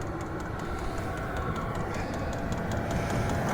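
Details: Borrowed diesel heater at -10°F for a tent: steady low drone with quick, even fuel-pump ticking about four times a second; heater running normally and dumping hot air.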